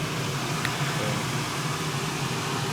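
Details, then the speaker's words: 1999 Harley 80ci Evo V-twin chopper, used bike tune-up, 29.5 low-speed jet, run about 8 minutes in shop, warmed but not full temperature: steady even idle, no misses, knocks or ticks, no smoke, over fan hum; normal idle. "So overall it starts up and runs nice. It's not smoking or doing anything stupid."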